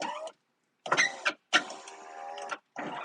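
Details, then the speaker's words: 2004 Ford F150 after a snow storm, power window motor clicking, whirring in short bursts and cutting out; intermittent operation, technician suspects a wiring issue or bad motor, to be checked with a current clamp. "now it's going [Music] down so that's weird now it's work nope there it goes and I can hear it clicking oh there it goes we may have a bad motor in here"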